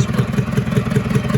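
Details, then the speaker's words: International B414 tractor diesel, previously locked up, head reinstalled and freed; steady chug with sharp intake pops about five a second, slight blow-by, light exhaust smoke probably burning oil, block getting warm; intake popping because valves need readjusting. "it has a little blow by, and as you can see, it's smoking a little bit out of the exhaust, you know, burning a little oil probably, and popping out of the intake still because I need to readjust the valves like I've already told you."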